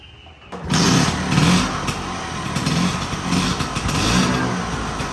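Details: Vespa V9B1T 100 two-stroke scooter after carburetor rebuild; starts promptly and picks up cleanly on repeated throttle blips, no bogging or misfire; normal running.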